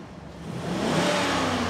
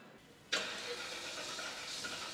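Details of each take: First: Cadillac Seville STS V8 after rebuild following an engine blowup, short test drive; pulls smoothly from a low rumble into an even rising rev with no knocks or ticks; normal revving. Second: Cadillac Seville STS V8, first start after rebuild following blowup; steady hissing starter whirr for several seconds with no firing; fuel line believed empty; cranks but won't start.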